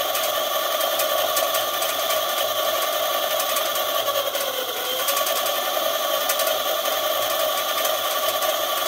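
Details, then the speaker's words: eZip electric scooter suspected of electrical problems, with the throttle clamped open and the wheel spinning with no load during a battery run-down test. The motor gives a steady, even whine with only a brief pitch dip and sounds healthy. "okay so you can hear the wheel going i have a clamp up there i see the clamp is right there just holding the throttle and i'm gonna let the batteries run down a bit supposed to be able to go for a little while but there's no load on it obviously"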